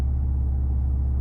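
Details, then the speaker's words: Alfa GTV after in-tank fuel pump swap and DIY pump assembly rebuild: deep, even rumble with no knocks, misses or ticks; new pump far quieter, barely heard priming. Normal running after repair. "nice the car's done it runs the pump is way quieter i can hardly hear it prime now"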